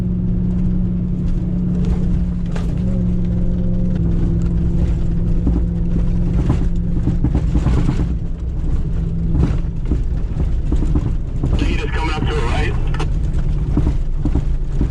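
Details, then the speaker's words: 2021 or early 2022 (pre-February 2022 build) Ram TRX driving over washboard off-road surfaces. Heavy uneven thumping from body mounts knocking due to side play. "All right, and so the reason this noise happens is twofold. There's actually two separate noises that happen."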